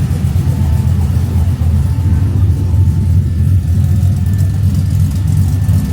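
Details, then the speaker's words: LS V8 swapped into a 1988 Ford Bronco, idling to warm up until the thermostat opens, less rich than before, ECU pulling about 10° timing: steady, even low rumble with no knocks or misses; normal warm-up idle. "Let it idle a little while and we'll make sure everything's good. Get it warm again. I'd like to see the thermostat open."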